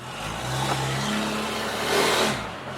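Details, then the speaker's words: 2013-2018 Ram 6.7 Cummins diesel after installing Banks intercooler pipes, test drive: engine revs, then a higher turbo whistle rises as the throttle lifts, louder than stock; normal healthy turbo. "I'm definitely hear the turbo whistle a little bit more once I let off the gas pedal"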